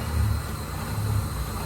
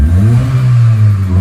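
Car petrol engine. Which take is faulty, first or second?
first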